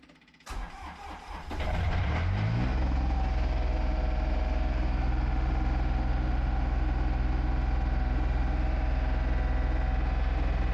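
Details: John Deere 1445 with freshly rebuilt Yanmar 3TMV 882A diesel, first start after glow plug timer: short crank, catches quickly and settles into an even, steady diesel chug; normal start and idle.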